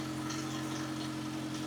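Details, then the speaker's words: VW MK2 Golf GTI after idle stabiliser valve troubleshooting: steady, even, smooth petrol idle with a constant low hum and no hunting; any rattle is from the alternator; idle issue sorted. "Yeah, that sounds okay to me. If you can hear a rattling, uh, that's the alternator. There's nothing else in the engine."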